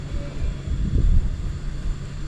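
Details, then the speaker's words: Split AC outdoor unit: indoor unit and fan motor run, but the compressor hums with a dull rumble and won't start, then cuts out. It draws about 23 A at start and drops the voltage, and is loosely mounted on a single nut. Compressor judged faulty, to be replaced. "Outdoor का compressor नहीं उठ पा रहा है"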